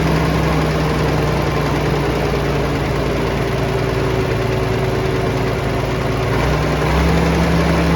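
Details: Vintage Allis Chalmers TL-14 loader diesel, warm, after idle screw turned down: low, steady rumble with an even beat and no misses or knocks; idle settled and healthy.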